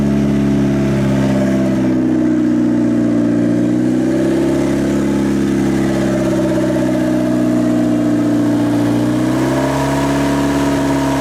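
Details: Turbocharged Honda Civic at first start after fitting a new turbo, replacing one that failed: it revs up smoothly a couple of times and settles back, steady and even, with no whistle, rattle or misfire. Normal running.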